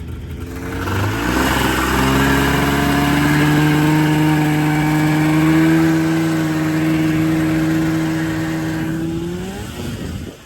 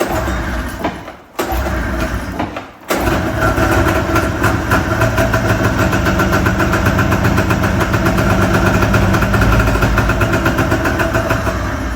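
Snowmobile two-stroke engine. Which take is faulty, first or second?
second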